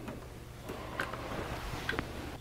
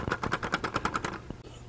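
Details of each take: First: 3D-printed Easy-Build clock after fitting helical gears 3 and 4 to stop the escapement pinching and random stalling; soft, evenly spaced ticks over quiet room hum with no hesitation, clock running normally. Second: 3D-printed silent desk clock: quick light plastic ticking about ten per second, then stops; printed plastic parts have developed a slight rattle over time as it runs.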